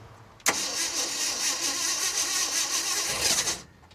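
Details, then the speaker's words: 1967 Ford F250 4x4 pickup: starter spins the engine evenly for about three seconds without catching, then drops out; cranks but no start. Coil gets about 6 volts with ignition on and 10.6 volts running, so low power to the coil is suspected, not confirmed. "what I'm seeing here is that it doesn't have full power to the coil when cranking at all and when it is running it's low power"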